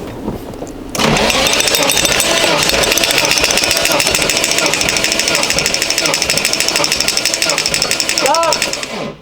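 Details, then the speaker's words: 1991 Nissan R32 Skyline GTR RB26DETT, abandoned, compression test cranking with almost no oil and unseated rings: quick, steady chuff about three beats a second, even; over 100 PSI on every cylinder. "all right so looks like we got over 100 PSI on each cylinder and that's cranking with basically no engine oil and the Rings aren't seated properly"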